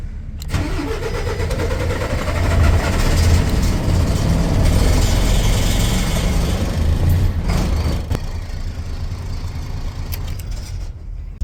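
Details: MAN truck diesel after no-crank fault traced through the key reader and plus-15 ignition power circuit: starter whirrs briefly, then catches and settles into a steady, even idle with no knocks or misses.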